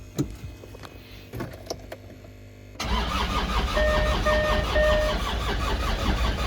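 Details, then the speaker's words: Land Rover Discovery 2 TD5 diesel, battery at 13 V, crank signal now read: clicks then slow even cranking without firing, scanner shows 0 rising to only 120 rpm, too low; slow crank, no start. "I know we've got the crank signal now correct, I think, because it shows 0 RPM and then it goes up to 120, which is too low."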